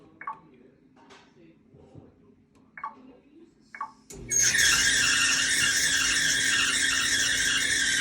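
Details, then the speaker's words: Whirlpool dryer, model YWED9620HCO, with the drum running: a steady, high-pitched squeal over the motor hum; the owner suspects the idler pulley, not confirmed. "Sounds like it's coming from up here or down there. I think it's that idler pulley."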